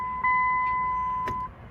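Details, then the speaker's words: 2010 Dodge Journey with an intermittent no-start and stalling after another shop replaced the starter and alternator; many codes including crank position intermittent. Key turn gives a one-second beep and nothing else, no crank. "Let's see if this thing will start. And it will not do absolutely nothing."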